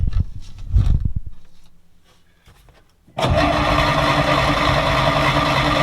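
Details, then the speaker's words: 1940s Dodge army truck sitting 30+ years, spark confirmed at points, carburetor accelerator pump heard squirting fuel: steady, rhythmic cranking after some clunks, never catching or firing; crank no start, most achieved is a sputter. "Ooh, it sputtered. So the most I've been able to get is sputter. I can hear the carburetor injecting fluid."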